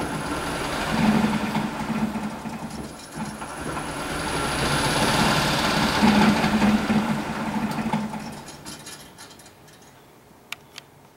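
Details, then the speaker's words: Electric-converted BMW 320i, electric motor coupled to the transmission, spinning the rear wheels: smooth whine rising, then banging and grinding when regen slows it as spline slots in the motor-to-transmission adapter hammer. "You hear the banging when I bring the regen in because the motor motor's turning it back against the rebirth adapter, and the slot that's in the splines is banging. Starts up, but as soon as you slow it down with the regen, it really grinds in."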